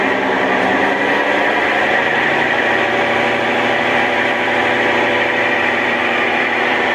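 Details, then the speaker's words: Brastemp Ative 11 kg washer with a new capacitor, run on spin with the lid open: steady, even motor hum at constant pitch with no grinding or banging; it spun, then stopped; normal spin. "vocês viram aí né nesse momento ela centrifugou e parou"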